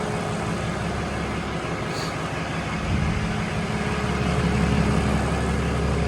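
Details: 2020 Ram 2500 Cummins diesel idling after the oil and fuel filter change, running to check for leaks. An even clatter at steady idle with a smooth, settled rhythm and no misses, knocks or hunting; running fine.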